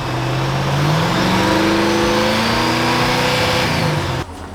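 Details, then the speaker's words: Ford Galaxie with replacement alternator after a charging failure: engine catches and settles to a steady even idle with a slight rise in speed, no misses; 13.5 V with the idle raised a little and accessories on minus fans; may need a smaller pulley. "If I raise the idle just a little bit, it comes up to 13.5 with all the accessories on, minus the fans. So I might just have to put a smaller pulley on it, but this will work. That's good."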